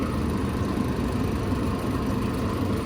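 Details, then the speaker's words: Small Manitowoc ice maker running on a service call, chilly room so fan cycling: steady low hum with even fan whir, no knocks or rattles; running normally, just slow. "all right this dude's chugging along it's just I think it's just a really small ice maker and it just takes forever"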